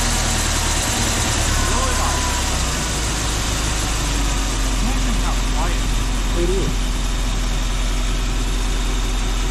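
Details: 1984 Jeep V8, started after being parked with wiring problems. Low, steady idle with an even beat and no misses or knocks, and a very quiet muffled exhaust; the owner plans a muffler delete. Normal, healthy idle.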